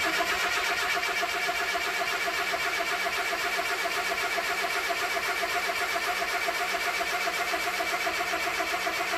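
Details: 1962 Mercedes-Benz 180c Ponton (W120), first start attempt after spark was verified and the fuel pump was tested working (no fuel had reached the carb earlier). Steady, even starter churn with no firing at all: crank, no start.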